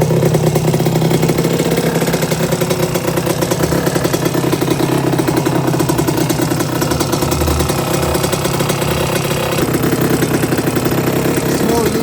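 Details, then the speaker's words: 1982 Suzuki RM125 two-stroke, freshly restored engine on first test run, cooling water issue noted for later: crisp, even idle burble with a quick throttle blip, holding idle cleanly; engine sounds really good. "That's bike number 1. That engine sounds really good."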